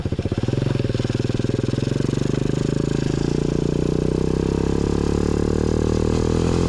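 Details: Newly installed 125cc 4-speed engine in a Pagsta chopper build with a new fabricated exhaust; kick-started, catches at once and pulls up smoothly with a crisp, even, steadily rising thump; running healthy.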